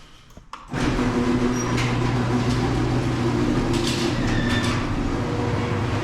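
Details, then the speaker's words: Owner's garage door, opener running before any service: steady motor hum with short high squeaks as the door travels; dry, unlubricated rollers and hinges. "And I'm not sure how good the audio quality is going to be, but I'm just going to try and let you guys listen out to how squeaky this thing is before I've serviced it."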